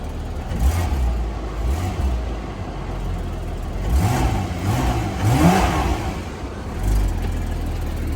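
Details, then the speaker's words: Porsche Boxster convertible with front-end damage, 132,000 miles, revved after starting: revs climb and fall with an uneven, off-sounding note; something seems wrong, scanner shows no codes, cause not found. "like the way they sound i don't think i'm sure it's supposed to sound like that let me put it on the scanner i'll be right back now i ain't gonna lie i don't like the sound of that"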